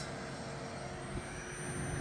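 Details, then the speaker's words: Pentium 4 3.2 GHz Prescott PC with an EZCOOL 400W ATX-400 power supply drawing 116 W (usually about 105 W): a thin, steady high-pitched whistle over a low hum comes from the power supply, which sounds about to fail. "it's like it's about to pop definitely coming from this power supply"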